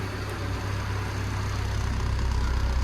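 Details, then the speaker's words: Develon excavator, checked after ECU plug work: starts with no error codes, deep steady diesel rumble, even beat about four per second, no knocks or misses; normal idle. "Well, that's good, no error codes. And it starts as well, what a treat."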